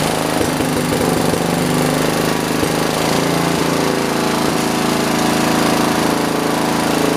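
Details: John Deere 112 round fender, Kohler K181 single-cylinder with new carburetor: chugs at a steady low speed and won't throttle up; fixed by adjusting the governor and throttle assembly.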